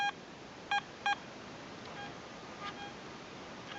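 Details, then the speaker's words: Garrett ATX metal detector iron-checking a shallow, low-conductivity target in the goldfields. A few clean high beeps are followed by only a faint response with no low iron grunt, so the target reads as non-ferrous. "Just a faint signal now, but no grunting. You get that iron grunt when you have the iron signal."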